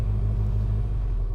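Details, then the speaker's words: 1966 Austin Mini Moke, just cold-started on choke in neutral, no oil leaks or smoke, charging light off; soft even low rumble with no misses, knocks or ticks, throttle blipped, silky smooth; normal idle. "So once it's started, I'm just gonna blip the throttle with my foot, and it's silky smooth. I mean, you can barely tell the engine's on."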